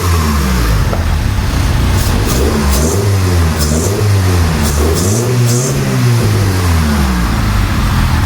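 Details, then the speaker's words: 1999 Honda Civic EK hatchback revived after sitting for years, running on a turbo-tune ECU; steady, even note with light revving, no knocks or stumbles, idles well. "Yeah, this thing sounds pretty It's nice and quiet. I like it. Nice and quiet. Idles pretty good."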